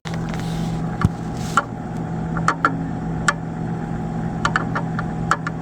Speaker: Don't worry, your fridge is not broken. It's just the refrigerant flowing through different size tube inside system.